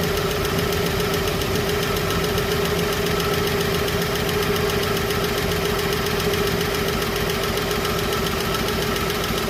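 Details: Chevrolet 235 Blue Flame six, after a ticking lifter was cleaned and rebuilt and rockers refitted but not yet adjusted: light, fairly regular tick over idle at a few per second; unadjusted valve lash, with a slight misfire.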